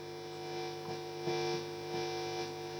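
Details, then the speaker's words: Marshall JMP-50 (2204) guitar amp, both volumes full: constant buzzing hum with ringing bursts each time preamp tube V1 is gently tapped; V1 microphonic, replaced with a 7025. "that change in noise is just me touching the V1 V2 V3 fine V1 that's just gently tapping on V1 where on full volume both volumes on full"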